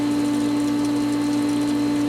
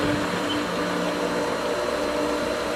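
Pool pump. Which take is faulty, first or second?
second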